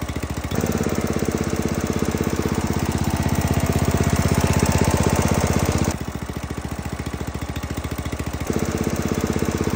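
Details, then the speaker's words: Husqvarna zero-turn mower, Briggs & Stratton Intek engine after valve lash adjusted to 0.004 in and oil change: even single-cylinder exhaust thump at steady speed, high-pitch ticking heard before now gone; normal running. "here it's a lot less Ticky you hear the exhaust going but you don't hear the tick tick tick tick the high pitch tick tick tick TI tick tick tick that we heard before that's what it's supposed to sound like that's good"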